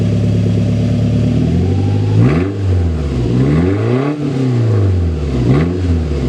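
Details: Toyota Tacoma 2.7L 3RZ, 2-inch exhaust, on a cool day with the stock muffler cut off: loud raw unmuffled blatting rasp through three quick revs from idle; open exhaust before glasspack install.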